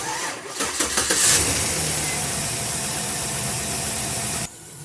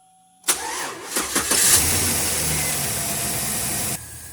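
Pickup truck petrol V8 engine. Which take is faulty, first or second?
first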